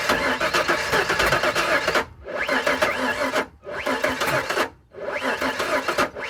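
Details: 1998 Ford Ranger no start: three or four long cranking bursts with short pauses; starter turns the engine over steadily but it never catches or fires.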